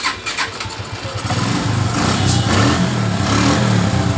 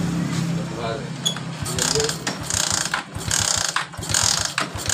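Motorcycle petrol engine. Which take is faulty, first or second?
second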